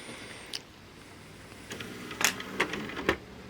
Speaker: And now that the tray is all put back together, the drives all put back together, you can see now the disc stops when you hit open.